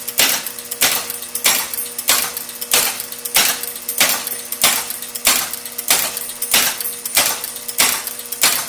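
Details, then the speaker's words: County Fair pinball machine powered on for the first time after full restoration with about 100 contacts resoldered: sharp, even clacking about every 0.6 seconds that never stops, stepper units advancing horses endlessly; shorted, badly soldered terminal. "it sounds like what's happening is that the ball has fallen into a hole even though clearly the Playfield is upright and there are no balls in the holes and it's incrementing a horse One Step each time and then going on to the next horse"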